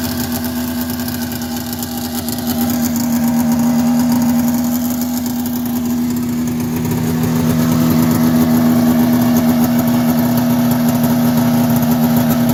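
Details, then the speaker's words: 1990 Polaris Indy 500 two-stroke snowmobile, sat outside since 2005, carbs cleaned, new plugs and gas, belt removed: steady idle, firm buzz climbing with throttle, raspy edge from an exhaust leak; starts right up. "all right so as you can see it's running pretty good now aside from that the exhaust leak that's got to get sorted out but it starts right up which is great"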